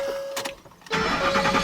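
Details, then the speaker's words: 2010 Ford F-150 4.6 with cam phasers, new timing chain and guides two years earlier, fresh oil, oil pressure normal: after a chime it cranks and catches, then fast sewing-machine clatter over idle; suspected failed guides or phaser; timing chain rattle. "sounds sounds horrible sounds like a sewing machine"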